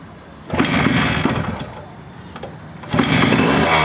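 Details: Suzuki Max 100, 98.2cc air-cooled single-cylinder two-stroke, carburettor, after carburettor cleaning for missing and pickup problems: crisply picks up on two throttle blips, dropping back to a rough idle between, no obvious misfire; normal running.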